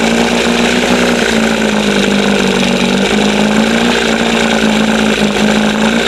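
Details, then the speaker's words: 1971 Johnson 20 hp outboard after carburetor linkage swap, throttle set between the two marks; steady fast buzzing idle never settling, lots of smoke, old fuel suspected; high idle, throttle opened too far. "No, I got it open too far. But she sounds good. Look at all the freaking smoke."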